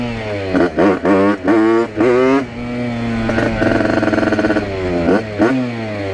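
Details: Newly built tuned 80cc Rieju RR two-stroke moped on its first test ride, with a brand-new cylinder in break-in, an unconfigured carburetor with the biggest jet and 4% oil mix: short revs with a burbly, uneven part-throttle note; owner suspects it is running rich.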